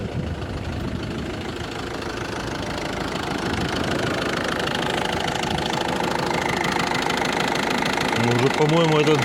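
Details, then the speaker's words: Ford Focus 2, 1.6 diesel, idling with a steady knock about two to three per second, clearest from below the engine; it later became audible from above too, though not at first; cause unknown. "уже наверх перешёл ух да ну здесь отчётливо стока этот отчётливо цокает конкретно"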